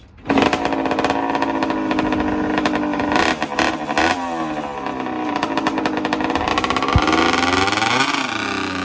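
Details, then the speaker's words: 1984 Honda CR60R two-stroke dirt bike, bought not running, after carb clean, spark and reed checks and reassembly: crisp buzz climbs and falls cleanly with throttle through the gears on a ride, no misfire or bogging; runs and drives good. "she runs good runs and drives good got her all back together so that's a fun little bike a little too small for me"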